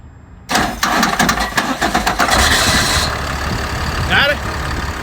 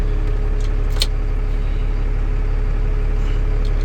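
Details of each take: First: Ford F650 box truck that had a no-crank problem: quick burst of starter cranking, fires within about two seconds and settles into a steady, even idle; normal crank and start. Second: Ford F650 box truck diesel keeps idling with the key turned off: steady low chug about two beats a second that doesn't die; owner suspects the ignition switch or, most commonly, the starter solenoid; unconfirmed.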